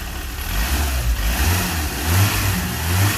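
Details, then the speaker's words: Engine just repaired after its timing belt jumped, now retimed to about 10–12 degrees with the belt set tight. Low, even rumble that swells smoothly on each throttle blip and settles back. Normal, healthy idle and rev. "Oh, that sounds nice. That's really nice."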